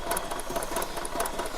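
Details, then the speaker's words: 2009 Royal Enfield Thunderbird 350 after head rework (sticking valves, oil starvation fixed) and rings: quiet, even idle with only a light regular tick from the top end, no clatter; engine sounds healthy. "इस गाड़ी का भी हड शांत हो गया और ये और ज्यादा साइलेंट दिखाते हैं आपको"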